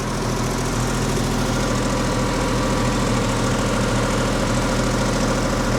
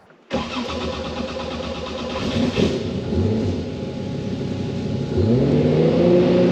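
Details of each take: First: RWB Porsche 911 Targa with freshly rebuilt 964 3.6L flat-six, ITBs and lightened flywheel, warm at idle after first tune: steady note with soft uneven puffing chuff; exhaust still leaking at joints after clamps were tightened. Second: RWB Porsche 911 Targa with freshly rebuilt 964 3.6L air-cooled flat-six, lightened flywheel, ITBs and fuel injection, after first tune: catches quickly, revs, settles to a crisp even idle; normal start and idle.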